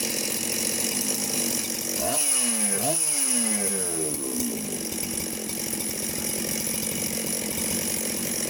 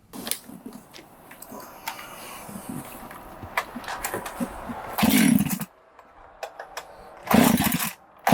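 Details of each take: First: Chainsaw just reassembled on the bench with gasket fitted: crisp two-stroke snarl rising cleanly through two quick blips and settling to a steady even idle, running as it should. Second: 372 chainsaw, carb jets cranked fully open, brake cleaner sprayed around the clutch to find an air leak: fires and flares into loud bursts of high revs between rough idling; suspected air leak at base gasket or crank seals.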